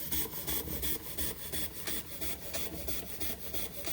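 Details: Josef Falk 456 overtype model steam engine, awaiting finished restoration, run after sitting a couple of months: soft, even chuffs about three a second at a steady beat, running smoothly.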